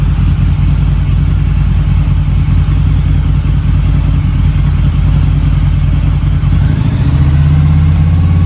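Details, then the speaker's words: Harley V-Rod with about 16,000 miles, first start in years, warmed up after earlier smoking: deep, steady V-twin lope, no knocks or misses, smoke gone; normal warm idle. "it's not smoking anymore. Wow. What a relief."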